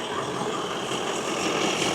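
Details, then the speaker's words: Range Rover L322 idling, not yet warmed up, after replacing a noisy fan belt and repairing an oil cooler leak: short stretch of steady, even idle with no squeal or chirp; sounds good, no leaks, normal idle. "yeah no it sounds good mate okay we just going to let it warm up now so we can check antifreeze level and oil as well"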